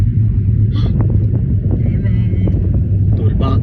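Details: Car driving on the road after both stabilizer links were replaced to cure a clunk under the car: steady low road rumble, only light rattles from loose cargo in the back, no clunks over bumps; suspension now quiet.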